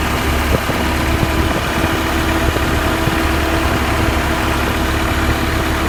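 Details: 1991 Honda Civic idling with AC on after the loud-ticking Matsushita compressor was replaced with a new one. Steady hum, no ticking; the new unit ticks slightly for about 5 seconds at switch-on and may need more oil. Normal operation.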